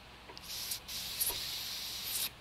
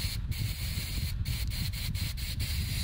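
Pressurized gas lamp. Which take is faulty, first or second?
first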